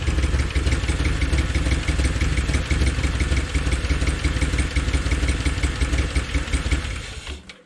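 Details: 2013 Chevy Tahoe ex-police V8 with P3401 code, recently replaced heads, running with valve cover off: uneven idle stumbling every few turns over valve-train clatter, missing on one cylinder; lifter/DOD fault suspected.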